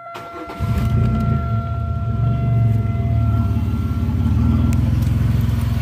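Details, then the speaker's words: Engine after lower intake manifold gasket replacement, with the resonator cut out when the catalytic converter was replaced: starts and settles into a steady, even idle with a deep exhaust note and no skipping. "but now boy it sounds it sounds good let's let's listen to it"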